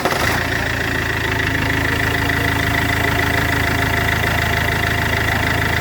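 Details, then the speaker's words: Iveco 2.3 16v diesel at steady idle: thin metallic whistle and scraping hiss from the turbo; turbo is damaged (burst), blades hitting against the housing wall. "El turbo. Sí, es con el turbo. Está reventado. Porque tiene reventado. ¿Sí? Mira, mira, sí, está pegando contra la pared."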